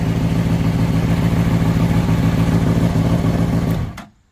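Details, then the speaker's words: Honda CBR600RR recovered from a pond after a crash, oil pressure sensor bypassed, popped radiator; smooth even four-cylinder hum, no smoke, ticking or knocking, then clean shutdown; healthy engine. "But now that we know that it runs, it doesn't smoke. The motor's not loud. But it's not ticking."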